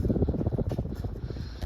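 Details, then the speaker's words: November 1977 Emerson ceiling fan with K63 motor, about 42–43 years old, running fast on low speed (around 180–200 rpm): airflow whoosh with low, uneven crunchy rumble from worn motor bearings, owner believes due for replacement. "this thing's already moving decent on low speed you can hear those crunchy bearings i might run this overnight and just see maybe they they pipe down"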